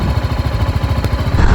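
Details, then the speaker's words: Single-cylinder motorcycle (apparently the BMW G 310 GS, compared with the Himalayan 452) idling with the microphone close to the engine: a quick, even thumping beat with no ticking on top, so the idle is normal and clean. "at least to my years this is more pleasant to"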